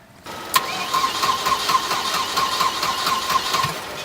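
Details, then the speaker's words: Rusty Volvo 240 race-car project, battery trickle-charged, in neutral with clutch in: starter spins the engine with steady, even cranking pulses but it never fires; cranks but won't start, owner still has to check spark and fuel pump. "All right, so the starter is turning over. Now we got to figure out how to get spark and see if we can jump the fuel pump, see if that's working."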